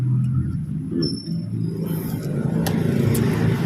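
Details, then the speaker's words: Honda Click 125 scooter with error code 8, just overhauled with a new bore set: engine revs with a rough, uneven beat, misfiring under throttle because the throttle body was not tuned. "Hindi natin naitono yung kanyang throttle body kaya palyado siya. Palyado mga idol."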